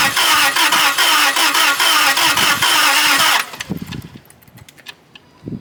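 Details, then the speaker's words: Land Rover no-start with no codes; spark, compression and fuel pressure tested. It cranks, catches, runs raggedly about three seconds, then dies; owner suspects a fuel issue. "I think my theory is right, gentlemen. I think we have a fuel issue."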